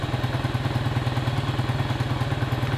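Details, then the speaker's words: Neglected Honda Trail 70 minibike with a Lifan-type engine, choked, first start in a long time; small single chugs at a fast even idle with steady low pulses and no misses, running normally. "but they were designed after the Honda Motors and uh you know they they just work that is awesome"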